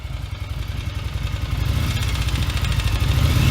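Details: 1981 Yamaha XV750 Virago, warm V-twin running: a light, fairly quick tapping over the low thump, like valve clatter on the rear cylinder after warm-up. Cause unconfirmed; owner suspects a missing head gasket or a valve spring.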